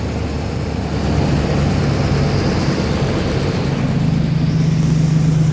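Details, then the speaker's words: First start after engine work at 208,935 miles, with new cam, lifters and oil pump and a Diablo tune: deep, even idle rumble with no miss, tick or stumble, holding smooth; running healthy. "Listen to that bad boy. No shake."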